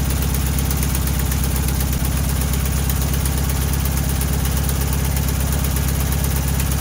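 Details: 1968 VW Bus camper, air-cooled engine, just revived after years of storage and a rear engine fire, with new wiring, plugs, points and condenser; carburetor linkage a little gummy: steady, even low putter, regular beat, no misses or knocks; idling cleanly.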